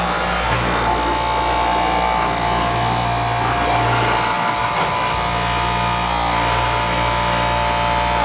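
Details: Yard-sale foam/maimin cutter test-cutting high-density memory foam mattress: even, steady motor whine with a brief dip mid-run as the blade takes the foam, then recovers; runs smoothly, normal running.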